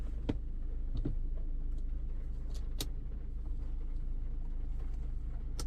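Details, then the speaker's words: Maruti Suzuki Brezza engine after an overhaul for a bad noise, idling: a soft, even hum with only a few light clicks, barely audible up close; the rebuilt engine sounds smooth and healthy. "इतना मधुर sound यार कहां आता है यार गाड़ियों में मतलब जो कहते है ना एक नंबर का बेहतरीन साउंड वो आया"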